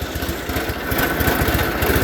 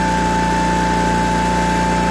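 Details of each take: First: Onan engine in a John Deere 318 garden tractor with a new OEM carburetor and recently adjusted valves runs very rough with an uneven, stumbling beat, wants to stall and won't take throttle even at full throttle. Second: John Deere 318 garden tractor with Onan B43G twin after OEM points, condenser and full tune-up, timed, previously very rough running: steady even idle and clean rev rise and fall; normal running.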